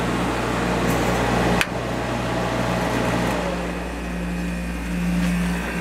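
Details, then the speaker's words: Vintage Coronado 5,000 BTU window air conditioner with a Copeland reciprocating compressor, fan motor just oiled: steady compressor hum and even fan whir after a click, once the start-up vibration has eased; not perfectly smooth but running normally and already cooling. "And then it gets nice and smooth. Well, it's not as smooth as you'd expect out of a reciprocating compressor, but smoother than it was when it started anyway. And it's already getting cold."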